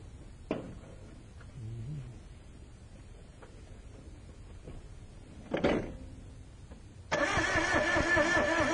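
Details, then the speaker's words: Car with a no-start being diagnosed: short quiet stretch, then loud steady cranking that never catches; spark test on a plug wire shows an extremely anemic spark, jumping under an eighth inch. "okay i don't know if you could see that guys but there was an extreme anemic spark"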